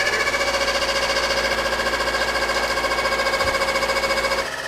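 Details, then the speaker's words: Honda Civic EG sedan after a tune-up with new plugs, wires, distributor cap and rotor: rough idle with a rasping rub pulsing three to four times a second, like something rubbing; a broken inner timing cover is scraping the cam pulley. "it sounds like something rubbing. He's had the idle set, but it runs now."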